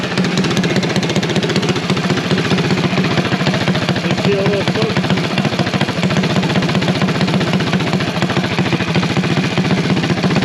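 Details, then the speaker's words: Used KSR clone kart engine newly mounted on the 108 kart, warming up after a cold start with slight blue smoke and possibly a little valve noise: rapid, even single-cylinder putter, sounds good and likes the RPM, running healthy. "we got a clone temporary girl she going to get us by she's going to get us some track time let's uh hope she holds out for a while she sounds good she likes the RPM"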